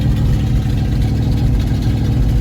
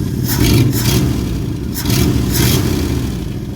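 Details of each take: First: 1974 Ford bumpside with FE 360 V8 and rebuilt Motorcraft 2-barrel carb, first start since November with throttle unhooked: deep, loud, uneven lumpy idle, running cold on the choke. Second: 1974 Ford bumpside with FE 360 V8, rebuilt Motorcraft 2-barrel carb after idle adjustment: deep, steady V8 rumble, throttle blips returning cleanly, running better than ever before.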